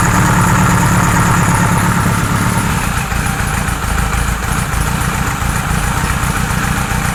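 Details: 1978 Kawasaki Z1-R four-cylinder with newly installed carbs: steady idle with a slightly uneven beat wandering in level during carburettor synchronisation; 1 and 4 read good, 2 and 3 not, still behaving weirdly.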